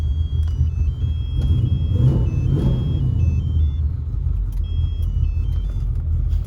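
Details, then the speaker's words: LT1 V8 with added idle airflow: deep, even rumble and steady idle with no misses or knocks, snappy throttle; owner wonders if an O2 sensor is lazy and says it still needs more idle airflow. "it's very Snappy though Snappy throttle if I could I like this tune so far"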